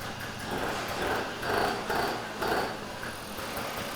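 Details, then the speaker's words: 1983 Honda Aero two-stroke scooter: it idles fast and uneven, pulsing about twice a second without settling, and the automatic choke (electric bystarter) is suspected still closed; not confirmed. "only thing I'm not sure about is the automatic choke it sounds like it's still choked and it should be off choked you guys hear that"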